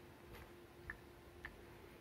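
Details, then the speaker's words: BMW N46/N42 VANOS solenoid valve, removed and shaken by hand after the engine had an oil flush: it gives only two faint, dull ticks, whereas a clean valve should rattle freely like a loose ball inside. Suspected sticky, dirty valve, to be cleaned with injector cleaner. "клапан резко трусится вот как бы вот появляется легкий стук если слышно его"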